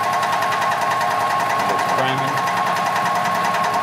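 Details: 2006 EZGO TXT gas golf cart after crank-no-start fix (milky water-contaminated fuel cleared): steady fast buzzy putter, even beat, no misses; normal idle.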